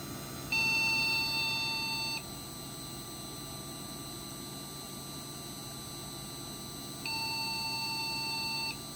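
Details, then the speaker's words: Custom Athlon desktop PC with Phoenix BIOS: a single long, high-pitched beep repeats about every five seconds after POST. A loose video card was suspected, and overheating was later suspected; unconfirmed. "Got a post. Still getting that beep code."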